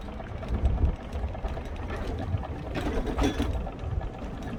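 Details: Vespa P125X two-stroke with VMC Stelvio 177 kit: quick rhythmic clicking over the engine drone, tracking engine speed; primary cush drive gear damaged by shifting at wide-open throttle during an uphill plug chop test.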